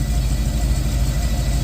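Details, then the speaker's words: Chevy Caprice engine on ACES fuel injection replacing the factory ECM, after 30 minutes of running: deep, even idle pulse with no hunting or stumble. The noise, which usually appeared when rpm fell back, has not returned. "Guess what it ain't doing? It ain't done the noise in 30 minutes."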